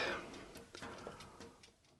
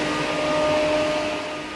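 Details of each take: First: Car radiator fan wired as 12V off-grid bathroom exhaust fan, test run blowing in: whine climbs and settles with light regular ticking about three or four times a second; something apparently rubbing. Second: Car radiator fan as 12V off-grid bathroom exhaust fan, after removing a wood splinter that was rubbing: steady airy whoosh with constant motor tone, no ticking or scraping; somewhat noisy but running normally.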